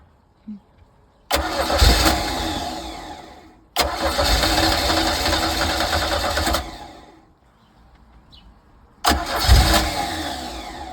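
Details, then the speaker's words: 1982 Sea Ray boat engine with water hooked up, cranked after starter spray: several long steady cranking bursts, never catches; no fuel reaching it through the fuel line. "However, getting gas here was not happening. So I was not getting any fuel through my fuel line here to make, the engine happy."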